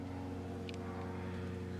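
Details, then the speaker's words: 1967 RCA color tube television, tuner/amplifier section, on FM with no dial light. A low, steady constant-pitch buzzing hum under everything until it cuts off: mains hum in the audio output. "pull on why do I get no light oh sounds like we're getting hum yep hum"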